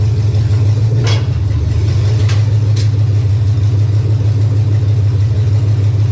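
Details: 1999 Chevy 5.3 V8 4WD junk donor pickup, engine started to test condition: deep, steady rumble, even throughout with no knocks, ticks or misses; running healthy.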